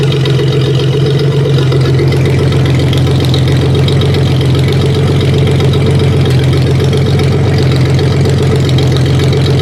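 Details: 1956 Dodge 230 flathead six running on an engine stand, just fired up: slow, even low rumble at steady idle with no knocks, ticks or misses; healthy, with good oil pressure.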